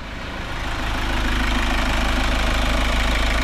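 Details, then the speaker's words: Kia Sorento diesel rechecked after new adjusters, EGR and turbo cleaning: steady even idle with smooth low rumble, no sharp ticking or knocking; now quiet and healthy. "Tahimik na siya mga bossing. Tahimik na siya."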